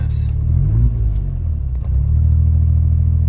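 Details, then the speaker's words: Suzuki Alto Works after oil change, new plugs and new battery, lights on: low engine hum wavers up and down every second or so around 1500 rpm instead of holding steady. Idle surging, cause not yet identified. "this surging and idling around the, 1500 but yeah I mean I'm happy about it really the only thing I need to look into is the surging"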